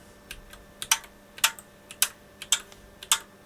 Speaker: I'm not sure if you can hear that in the background. You can hear the various relay switching.